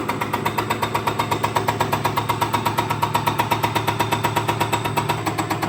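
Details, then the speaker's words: Diesel truck injector on a calibrator/test stand ticking rapidly at about two per second with a rattly, buzzy spray note. It is sticking from a suspected water issue and starting to free up, flow levelling around 162 cubic mm. "This one seems to be more of a water issue. It's sticking, now it's starting to free up."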